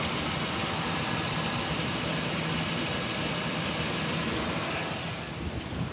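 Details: 2002 Chevy Silverado 2500 6.0 V8 at idle: faint, loosely regular knock about three a second. It was louder before; 10W-40 oil didn't help, but synthetic 5W-30 reduced it about 80%. Owner suspects rod or lifter, not piston slap.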